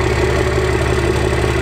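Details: 1991 first-gen 12V Cummins 5-speed with VE pump, after a quick start: steady, even diesel clatter with a firm low beat and no misses or knocks. Normal diesel idle.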